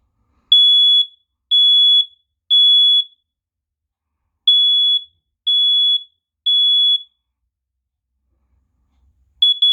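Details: FireX smoke/carbon monoxide detector over 12 years old and due for replacement, given its last test: loud, high, shrill beeps in sets of three, about half a second each.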